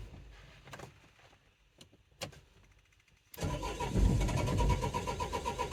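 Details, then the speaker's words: 2004 Renault Trafic 1.9 dCi diesel cranking at steady rhythm without starting; live data shows no crankshaft/camshaft synchronization, DF195 code, engine timing issue suspected. "but either way it looks like we've got an issue with the timing on the engine"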